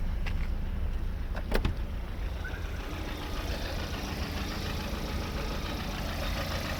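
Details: Lada 21126 engine at steady idle: dull, uneven tapping riding on the low drone with a couple of sharp clacks early on; unexplained extraneous engine knock.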